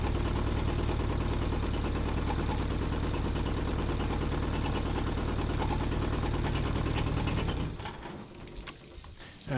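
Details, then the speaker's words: Pontoon boat outboard during spring prep after carburetor cleaning: runs at a steady even beat, then falters and cuts out within a second; fuel starvation because the tank vent was closed and primer bulb not soft. "of course it might help if I had the fuel vent open bulb wasn't soft"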